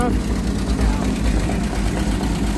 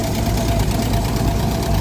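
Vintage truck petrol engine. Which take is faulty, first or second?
second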